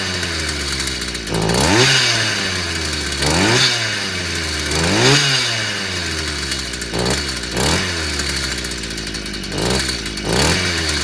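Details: Stihl FS55 brushcutter that kept dying then wouldn't start, despite new spark plug and new carburettor; small two-stroke picks up sharply from idle and drops back about six times, clean and eager. Fault was simply a clogged exhaust/muffler.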